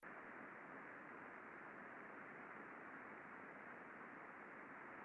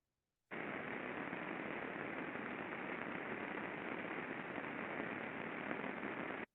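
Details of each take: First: Pulley-side bearing heard through ultrasound after precision lubrication, level down from 53 to 36 dB microvolt: soft even rushing hiss with no crackle or clicks, smooth well-lubricated bearing. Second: Pulley-side rolling bearing heard via ultrasound before lubrication: loud, steady rushing hiss from heavy friction due to under-lubrication; greasing cut the level from 53 to 36 dBµV and made it much smoother.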